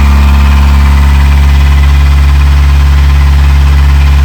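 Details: Narrowboat diesel engine, out of action about two months with failing core plugs, after in-situ repair by River and Canal Rescue engineers: steady, low thrum with an even beat of about three per second, no misses or knocks; healthy idle.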